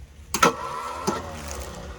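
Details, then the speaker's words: 1967 Ford Thunderbird with 428 V8, sat about 30 years, cranking to blow oil out of cylinders before new plugs: harsh clunk and short grinding burst then a weaker one, no steady cranking; faulty starter. "Well, that's not good. That was the starter."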